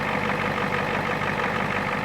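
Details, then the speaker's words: 1989 Ford F250 with the 7.3 IDI diesel, started after sitting a week: a steady, even idle clatter with no misses or knocks; normal idle. "Start this bad boy up. Let her run for a second, just because I love to hear it."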